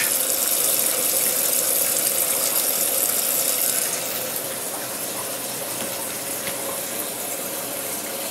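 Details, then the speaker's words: Maytag Neptune MAH5500BWW front-load washer after motor and motor control board replacement, on the Quick Service test cycle: steady hiss of cold water and bleach fill, easing slightly. Cold inlet valve filling normally. "okay we hear some stuff that will be the cold water and"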